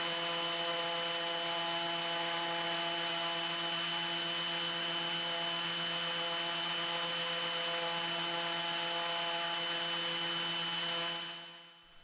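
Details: Raptor prototype aircraft engine run-up outdoors after reassembling and oil-priming the reduction drive, checking leaks and governor: steady even high-pitched drone with clean tonal whine, no knocks or roughness; engine and redrive healthy.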